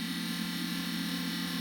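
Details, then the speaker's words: Small cooling fan on the bench while repairing a Neotec 2515C 25-inch arcade monitor chassis: steady buzzy whine with rough rasping overtones; fan bearings going out, noise stops once warm (~100°F) and tapped, needs replacing. "likes to the bearings are going out in it and i have to wait for it to get to what looks like a 100 degrees fahrenheit then i can bang on it and that noise will go away"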